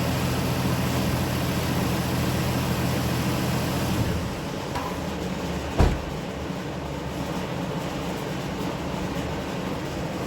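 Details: Engine running after the oil drain plug was replaced, checking it works: steady low rumble with an even note and no knocks or misses; runs smoothly.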